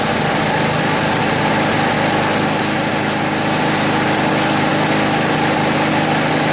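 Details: 1980 MTD SnowFlite 5-20 snowblower on a new carburetor, main mixture screw opened one turn from almost fully closed: small engine holds a steady, even idle with a constant buzz and no hunting or misfires; running properly.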